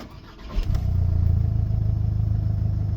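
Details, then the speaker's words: VW 2.0 TDI that started once and died, tested with the EGR disconnected and the intake opened: dull, lumpy, lifeless run that won't rev and smokes; the turbo turbine wheel broke off and blocked the exhaust, forcing exhaust gas through the EGR. "I wszystko nabiera sensu. Wirnik odpadł, w konsekwencji zapchał nam wydech."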